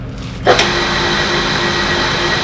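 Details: Clarkson tool and cutter grinder after being stripped and rebuilt to reduce noise, running on the lower pulley speed: motor switches on with a click and settles to a smooth, steady hum with no grinding or rumble; runs healthy.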